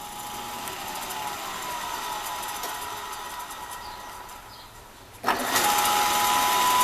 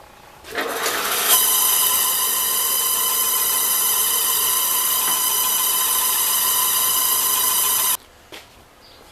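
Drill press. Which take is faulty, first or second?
second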